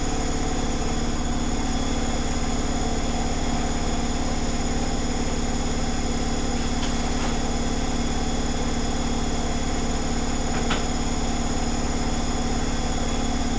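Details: Zanussi Flexi Dose ZWG7160P washer on final spin with an unbalanced load, held around 1000 rpm instead of 1600 rpm; steady, even drum drone with a faint regular pulse.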